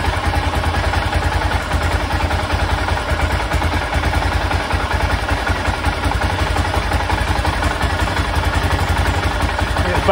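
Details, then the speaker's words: 1996 BMW F650 Funduro single after carburettor rebuild, warming up: slow, fairly even thump with light clatter; tick-over set a little low, usually about 1,500 rpm. "sound a bit low"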